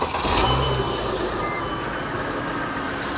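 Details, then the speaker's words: Mercedes W211 with M272 engine, about 50k miles: quick crank and catch, SPC pump priming noise, then smooth even idle with no misses or knocks; healthy start. "And as you can hear, it sounds absolutely stunning. That's the SPC pump making noise. Now, it's priming."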